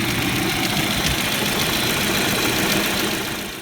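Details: Audi/VW 1.8T petrol after replacing a stretched serpentine belt that made the tensioner rattle: steady, even hum and hiss, tensioner now solid with no belt-area rattle; normal idle.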